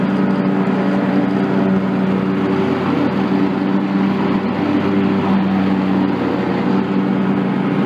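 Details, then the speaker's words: John Deere X300 rider with Kawasaki FH-series engine, 17 hours, after fixing a no-start/runs-and-dies fault from a stuck fuel shutoff solenoid; even, smooth drone holding throttle with the clutch engaged, no stumbling or surging, running normally. "let's just verify everything's working got good throttle just pop the clutch on"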